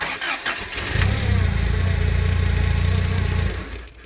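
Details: Toyota 7 Series forklift with 4Y engine: starter turns, engine fires and idles evenly about two and a half seconds, then dies. Distributor and plugs already replaced without effect; ignition coil keeps power throughout, so coil power loss is not the cause.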